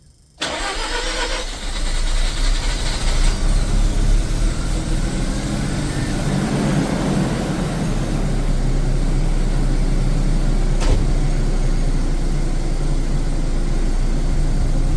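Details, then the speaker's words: Mazda RX7 FC (CAK82) rotary after a coolant change, previously flooded: it catches cleanly and settles into a steady, even idle, a normal start with no flooding. "so it started looks to be doing similar to last time"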